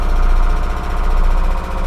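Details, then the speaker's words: Truck engine with Weber carburetor, electric priming pump feeding the bowl and then switching off with oil pressure so the mechanical fuel pump takes over: starts quickly and settles into a deep, steady, even idle; normal idle. "and then they'll be just running off the mechanical fuel pump and there it is it starts right"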